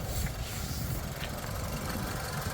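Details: 2006 Hyundai Getz, 78,000 km, recent engine oil, brake fluid and coolant change: steady, even low idle rumble with no knocks, ticks or misses; seller says engine is very smooth, normal idle.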